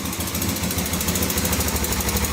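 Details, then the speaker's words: 1986 Honda FourTrax 350cc 4x4 ATV, started after sitting for years; quick even top-end tick on the rapid single-cylinder idle following engine speed, owner suspects valves need adjusting; revs sometimes surge and it stalls, carb clean suspected. "valve probably need to be adjusted a little bit"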